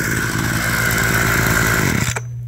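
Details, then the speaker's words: Abandoned roadside two-stroke hedge trimmer, revived with parts on hand (crusty fuel lines, disintegrating air filter addressed, mixture screws to be set with filter in), cutting a hedge: raspy steady buzz under load, then blades stop and it drops to idle; noisy, vibrates, dull blades, but running fine. "it's noisy, it smells like a two-stroke, it vibrates a lot, it's a little dull, but you know, it's nice not having a cord behind it like my electric one."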